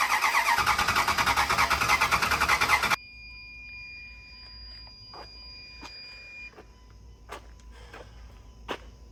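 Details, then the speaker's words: Marketplace truck with earlier misfires, now fitted with new plug wires, cap and rotor: a steady starter chug for about three seconds without catching. Cranks but won't start. It fired only after the plug wires were rearranged many times. "If it don't start right now, I'm gonna walk mom to the hibachi place. Fire it up, see what she does. Keep cranking it."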